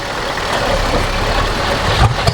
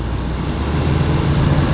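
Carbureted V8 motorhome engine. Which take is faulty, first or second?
first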